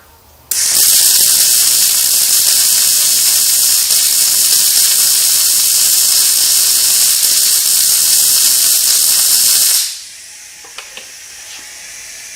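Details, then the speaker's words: Riland MIG-2000T multi-process MIG welder at its slowest wire speed: steady, harsh, thin hiss for about nine seconds without crisp crackle, the arc not biting in; poor penetration, cause not confirmed. "so the penetration on the MIG welder itself is not working properly and now we're all the way down to the slowest it'll go we're just going to with it and see and same thing it's not welding properly"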